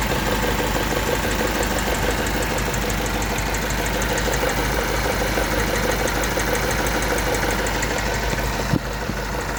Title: engine strange noise (not valve )